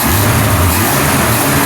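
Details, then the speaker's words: Long-dead, rusted Australian ute (Project Cactus) engine just bolted up and running, with the throttle linkage adjusted to fix a high idle: a strong, steady note with a clean, crisp rise on the throttle, a healthy response. "That's really good response."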